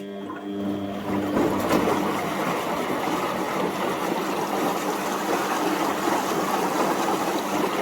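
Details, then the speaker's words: Front-loading washing machine running with back and top covers off during its final rinse: steady rush and slosh of water in the drum, with clicking audible. "think it's causes a siphoning effect for the softener to drain into the drum for its final lch you can hear the clicking"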